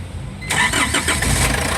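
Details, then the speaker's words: Foton Transvan with 4GB1 engine, previously cranking with no start, after the relay was fixed: brief crank, then the diesel catches within half a second and settles into a steady, even idle; normal start. "yan. So umandar siya. So ito lang yung ginalaw natin. Ito ong relay na 'to."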